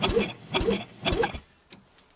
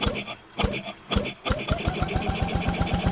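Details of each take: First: Rebuilt Penguin engine on a test mount, ignition on, reverse switch flipped: solenoid clicks, then three short even cranking bursts as the starter turns the engine over cleanly in reverse after it was checked turning forward; normal reverse cranking. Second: Rebuilt Penguin engine cranked with fuel and spark for the first time since the rebuild, throttle slide checked not sticking: choppy cranking, then a couple of seconds of rapid even pops that die away; it kicks but fails to start.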